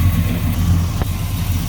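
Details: 1967 Chevy Nova SS clone with a stroker V8, Muncie 4-speed and 10-bolt posi. Just after startup it idles with a deep, steady V8 burble, no knocks, misses or ticks. Good oil pressure, no smoke, nice and quiet: normal idle.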